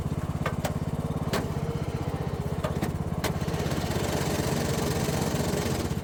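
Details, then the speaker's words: Troy-Bilt Pony mower transmission popping out of forward: engine chugs with sharp irregular clacks as forward gear grinds and sometimes lunges in; worn transaxle clutch collar and forward gear, shifter fork suspected worn from lack of lubrication. "The first one will be of what it was doing. Sometimes it would lunge and kick in, other times it wouldn't."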